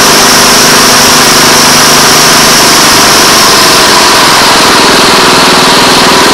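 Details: Honda Harmony 215 mower engine, after years outside and a carb cleaning, holds a steady even buzz at running speed with no misses or surging; running normally.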